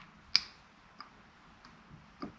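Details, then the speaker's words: VVT solenoid from a 2007 Toyota FJ Cruiser 1GR-FE (P0016, new timing chains) bench-powered by 12 V battery pack: four crisp, light clicks about two-thirds of a second apart; valve moves normally. "So the valve is moving, which is a good sign. But let's also check the resistance, just to show you very quickly. If your valve doesn't do this, the valve is bad."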